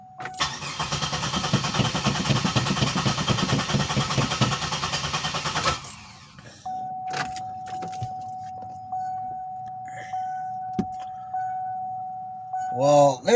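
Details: 2007 Pontiac Grand Prix that hadn't started in about a week, just given 5 gallons of 91 fuel: the starter cranks steadily for about six seconds but the engine never fires. Fuel level sender wiring is suspected.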